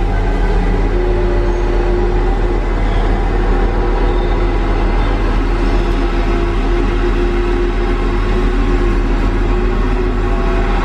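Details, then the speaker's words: Tigercat LX830D track cutter on rain-wet ground: deep steady diesel rumble with a low track churn and no squeal from the running gear. The tracks, which squeaked badly when dry, now run quiet. "as soon as we get this rain kind of Westar ground you don't hear the track squeaking anymore"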